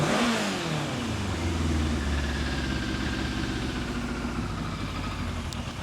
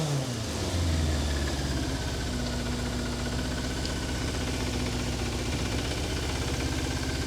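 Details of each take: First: 1988 Yamaha FZ750 Genesis, rebuilt carbs, cold engine, likely dead battery: after a blip the revs sink and it cuts out dropping to idle; stalls at idle, owner suspects battery or charging system, cold engine also blamed. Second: 1988 Yamaha FZ750 Genesis after carb rebuild and new inlet rubbers, choke out, high idle: steady on all four cylinders, clean blips rising and falling without stumbling, no fuel leaks; running on all four for first time in months.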